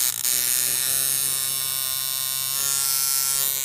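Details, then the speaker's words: Coil tattoo machine with armature pressed down, low thin dull strained buzz instead of crisp hum, barely moving; bogged-down, wrong sound. "Machine इस तरह नहीं लग सकती है, यह डूब गई है, इसे दबाया गया है, यह लगभग कुछ भी नहीं चल रहा है"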